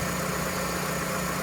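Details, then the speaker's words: Vauxhall/Opel Astra F (MK3) GLS saloon with a 1.6 16V engine: smooth, even idle with a steady low hum and no knocks, misses or ticks. Owner says the engine is absolutely sweet. Normal idle. "but the engine is absolutely sweet as"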